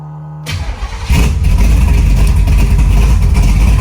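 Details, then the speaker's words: 1972 Chevy Nova big block V8 with Merlin heads and Rowdy camshaft, electric fuel pump: brief crank then fires right up into a loud, lumpy, choppy cam idle with 60 psi oil pressure; normal start. "Oil pressure, 60 pounds of oil pressure. Fires right up."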